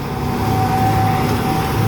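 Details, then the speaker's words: Volvo Penta sterndrive Chaparral after repairs, dual props, warm at 165°F, full throttle while trim is raised: loud steady roar with even drone, no misses or knocks; pulls cleanly under load. "now he's bringing the trim up and we're going to start seeing some RPMs and throw the water up"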